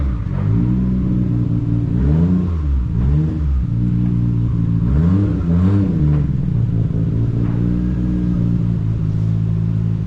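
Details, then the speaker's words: Nissan R33 Skyline GTR, RB26 twin-turbo, back on the road; smooth, even revs rising and falling with clean steady note, no knocks or rattles, healthy engine; power steering has a little air in the system. "But as for right now, it does look good, it sounds good."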